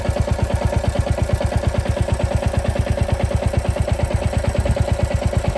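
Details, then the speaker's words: Royal Enfield Classic 350 Reborn, FuelX Pro Plus map 3 (lean burn), hot after about 30 km, combustion chamber 121, heat smell: steady single-cylinder idle thump with light metallic clatter per beat, sound changed to knocking type; engine clatter when hot. "So if you hear the sound has changed. The clatter is more knocking type of sound. I can smell the heat."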